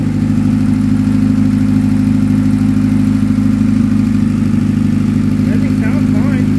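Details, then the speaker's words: Boosted Honda Accord F23 with freshly built head, warming up: steady idle with a faint rhythmic whirring rattle over the firing note; still builds boost, runs rich; turbo bearings going bad, shaft has play and smokes a little. "the building boosts and everything is just the bearings going bad it's starting to smoke a little bit and it's got some play in it so that's what that noise is"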